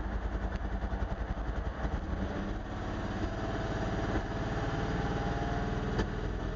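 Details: Mercedes R129 300: uneven, lumpy idle with irregular low thumps and stumbles after misfiring once then twice; running rough, cause not confirmed.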